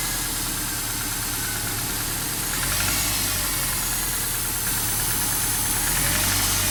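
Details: Subaru boxer engine, cold idle: light hollow knock about three times a second, suspected piston slap, gone after 10–15 miles of driving; earlier startup knock cured by replacing loose original spark plugs with blown seals and 0.060 gap.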